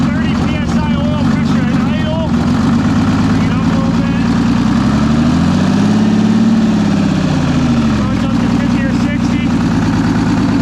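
Even, deep two-stroke diesel drone that rises briefly with a blip of throttle and settles back smoothly; running healthy.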